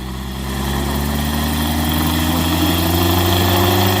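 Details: Yamaha crop-spraying helicopter engine idling during its pre-flight engine and injector check; steady, even idle with a smooth low drone and no knocks or misses. Runs healthy.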